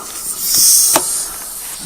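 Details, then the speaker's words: Tire hissing steadily near the tread from a puncture: an inch-and-a-half, razor-thin chunk of metal still lodged in the tire, which is still leaking air. "so it has a big chunk of metal in it still still hissing might be able to hear it it's an inch and a half long and it's almost as thin as a razor blade"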